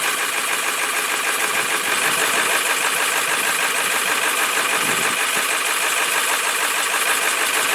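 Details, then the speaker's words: Cold 1995 Ford F250 7.3L Powerstroke diesel, started fine, then idles with uneven sagging clatter, rpm drops and it stalls as if out of fuel; only happens when cold. "All right, now it's actually dropping IN RPM. THERE WE GO. AND IT DIED."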